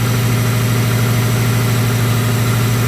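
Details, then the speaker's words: Neglected non-running Subaru Impreza WRX project, started after sitting with oil and coolant checked: even, steady idle with a smooth low rumble, no knocks or misses; engine running healthy. "that really does sound well we'll let it warm up a little bit and give it a couple of reps"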